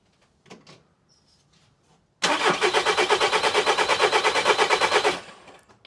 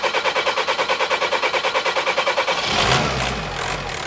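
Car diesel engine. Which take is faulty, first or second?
first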